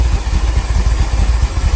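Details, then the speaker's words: Ferrari 308 GTSi after new ECU and new injectors, fuel fed manually into intake: deep, uneven throbbing while burning hand-squirted fuel, dies as soon as throttle is applied; suspected fuel starvation/delivery fault. "You can hear it running. As soon as I put some throttle on, watch this. Burns the fuel. Dies."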